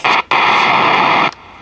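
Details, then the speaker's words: Vintage Sony TFM-1000 transistor radio: shortwave static bursts on, cuts out and drops away with no stations. It quits when cold while FM still works. Owner suspects a failed shortwave converter transistor. "before it would work on shortwave so it's got to be that transistor [Applause] it's just dead now [Applause] got to be a bad converter"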